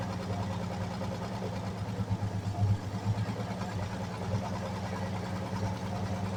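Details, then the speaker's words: 1946 Chevy 3/4-ton, first run after sitting since the early 70s: a steady low idle rumble, a little uneven at first, then it settles and holds on its own. It seems to have built compression. "It definitely sounds like it built some compression at least."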